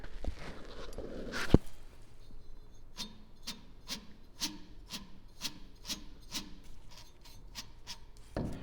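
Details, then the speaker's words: Volvo 145 (B20 engine, M40 gearbox) driveshaft center support bearing, removed with gearbox, turned by hand: dry gritty rasping about twice a second; bearing worn out, may have caused noise under the car. "as you can see it's gone so i just need to order a new one this might have caused some noise also under the car"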